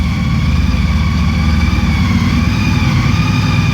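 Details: 2014 Honda CTX 1300 Deluxe idling in a garage: deep, even rumble with a steady high whine, which is the normal drive shaft whine for this bike; a healthy idle.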